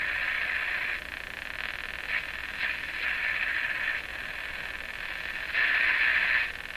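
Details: Canadian General Electric JK-53 radio under restoration, monitored with an SDR: uneven high chirpy ticking from the speaker over faint hiss, persisting with the sweep generator off, source unknown; ticking noise in audio output.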